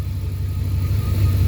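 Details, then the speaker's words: Abandoned Dodge Dakota R/T 5.9 V8 running again on a borrowed battery: deep, steady burble with an even beat and no knocks or ticks; healthy idle, minor valve cover oil leak noted. "but this thing sounds good"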